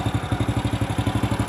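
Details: Single-cylinder motorcycle idling after battery service (low battery water, crusted, no-start; cleaned and recharged for about two hours). It starts on the starter: quick, even exhaust pulses of about twelve a second, steady idle, no misses or clatter; healthy.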